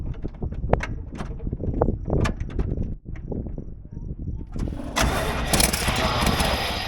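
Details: 1983 Chevy C20 that had sat on a ranch, first start attempt in neutral: uneven starter grinding with chugging firings, then a brief roar; it catches but won't keep running, possibly out of gas (unconfirmed).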